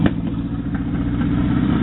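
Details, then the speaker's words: Mazda truck with an engine swapped in from a 1994 Ford Ranger, just started and running without an exhaust. It idles with a quick, even pulse and light top-end clatter, no misses or stumbles. Normal idle. "But she runs. She needs an exhaust."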